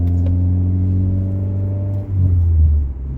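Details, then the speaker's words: CD5 Honda Accord with a new $145 2 3/8-inch cat-back exhaust, no muffler or resonators, cold before highway warm-up: deep steady booming hum cruising at low revs, rising slightly with throttle; not super loud but mild exhaust drone. "It's not super loud. There is a little bit of drone I'm hearing, but let's see what it sounds like when it gets warmed up."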